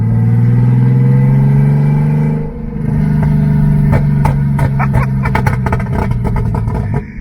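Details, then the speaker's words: Turbo BMW E36 on its first drive after radiator, fan shroud and fan controller install, no exhaust fitted: very loud, deep raw drone that dips then rises with revs and crackles; loud engine with no exhaust. "This thing is loud. This thing is gnarly. It has no exhaust, so kind of expected that, but it works, man."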